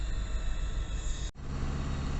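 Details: GAZ Gazon Next diesel truck driving in city traffic: steady diesel drone with a thin high turbo whistle over it, louder than it should be; sound changes with throttle and speed, turbo whistle heard, awaiting dealer service.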